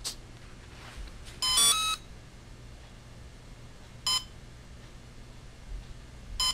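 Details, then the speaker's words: Volcano 30A ESC, radio transmitter switched off: slow continual single short shrill beeps about every two and a half seconds, slower than the throttle-in-middle beep; normal no-signal warning. "so it's a continual beep but it's a little bit slower okay it's not as fast as the throttle in the middle"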